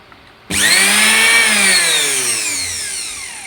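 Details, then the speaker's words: Blender motor, switched on then off. Clean high whine gliding smoothly down as it coasts, no rattle or scratch. A damaged armature would instead give a harsh "jara jara" sound. Healthy motor. "ඔන්න ඔය විදිහට තමයි බෙන්ඩර් එක හරියට වැඩ කරනවා නම් sound එක එතකොට ආමිචර් එකේ ඩැමේජ් එකක් තියෙනවා නම් ජර ජර ජර ජර ජර ගාලා තමයි ඒක මේ සවුන්ඩ් එක එන්නේ."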